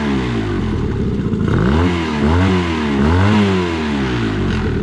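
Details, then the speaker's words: Outboard (reported to idle fine but stall on throttle, suspected carburetor) after about five minutes running: revs up and down cleanly with smooth rising and falling buzz, no stumble or stall; running strong, only a cracked plastic piece found. "so the motor has been running here for about five minutes and it seems to run really strong here i'll show you guys"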